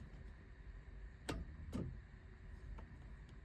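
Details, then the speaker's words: Toyota 80 series Land Cruiser, fusible link already replaced, lights and voltmeter working: two sharp single clicks about half a second apart with no cranking; starter clicks but will not turn the engine over. "need some help got this uh 80 series with a click no start I already changed out the fusible link"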